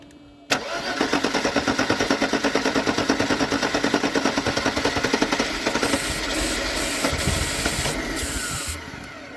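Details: Mercedes-Benz W201 190E sitting in a field since 2008, first start attempt with starting fluid and throttle: starter churns about two beats a second for several seconds, engine coughs but never catches; cranks, no start.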